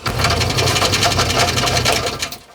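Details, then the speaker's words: Chevrolet C10 with LS swap, after starter removal and washer grinding, good oil pressure, runs decently: loud, rapid steady clatter of knocks; owner suspects flex plate hitting something, possibly a chunk of the old starter fallen inside. "The odd thing is it actually seems to be running pretty decent at the moment, but it's just making horrendous noises. Sounds an awful lot like flex plate hitting on something."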